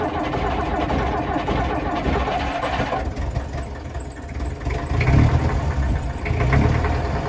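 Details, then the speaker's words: 1959 Plymouth taxi with Perkins P4C diesel, cold start: long uneven cranking with rough, stumbling chugs that fail to settle into a clean idle, smoke billowing from under the hood; hard cold start, cause not confirmed. "Bad cold start or the worst cold start of all time?"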